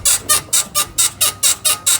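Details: BMW E53 X5 rear suspension on a hot 34°C day, with the body rocked by hand while each arm is felt: sharp high squeaks about four a second, one per rock. Traced to the worn right rear upper control arm (swing arm) bushing, which is being replaced.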